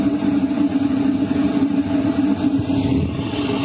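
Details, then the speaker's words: LF Bros diesel heater at maximum 5 kW, combustion power 99%, heard inside a tent at night: steady fan rush over even combustion hum, constant pitch, no stutter or pops; normal running at full power. "The combustion power is also at 99%. This is what it sounds like when it's set to 5 kilowatts."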